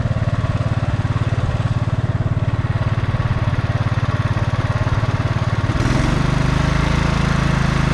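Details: Snapper Yard Cruiser 42-inch zero-turn, estate-sale mower revived after a mouse nest, mowing long grass: a steady, even engine thump about three beats a second that firms up under the grass load; no smoke, didn't overheat, healthy.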